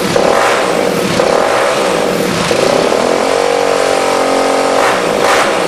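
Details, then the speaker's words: Suzuki DRZ 400 rebuilt with new chain and sprockets, throttle position sensor not yet installed. Steady even note, clean firing with no clatter or knock; runs healthy. "we still haven't done the throttle position sensor yet of course it runs without it it's sounded really good"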